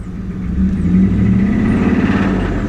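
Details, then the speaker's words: Ram Hemi truck bought at auction, revving: deep rapid rod banging with a squeal on top, oil pressure good, transmission not shifting to third; suspected spun bearing. "rods are banging it sounds like uh my guess is it's spun a bearing"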